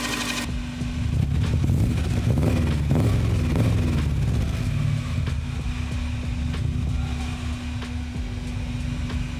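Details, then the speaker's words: GC8 Subaru Impreza wagon, 2.2-litre, on its first drive after a three-month build: low, steady burble that swells and settles, no knocks or misses; sounds pretty decent, normal running. "not bad that sounds pretty decent yeah"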